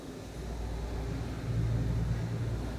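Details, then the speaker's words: Celestron CGX/CGX-L mount drive run at speed 9: low steady hum swelling into a droning whine, caused by the small belt pulley being made out of round, turning like an egg; fix is swapping the pulley. "this little belt pulley was one of the problems they're not produced round and not running around they're turning around like an egg you can hear it when you turn them out on and let it run on on speech number nine then it sounds like we win it's because this little pulley here is not"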